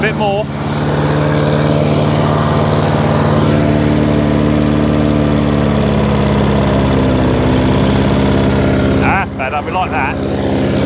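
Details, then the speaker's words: Hayter 56 Pro mower that would only tick over, after a carburetor clean, a new spring replacing the missing one and a new air filter: steady, even engine note holding speed without hunting or surging; running as it should. "okay h856 now all up and running exactly as it should do"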